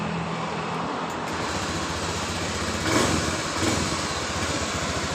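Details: Honda Beat Pop injection scooter that sputters and loses power when the throttle is opened, after an emergency fuel pump fix raising pressure to about 20–40 PSI: steady even idle, no stumbling, outdoor traffic; engine running normally.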